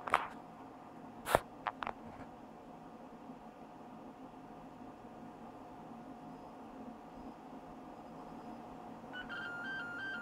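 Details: HP e-PC 42 (1.8 GHz Pentium 4 Willamette) powered on with no RAM installed gives a fast two-tone warbling alarm over fan hum, its no-memory-detected POST beep code.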